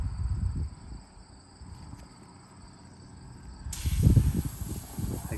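A sharp steady hiss comes in suddenly over low handling thumps: air escaping past a thorn stuck in the tire.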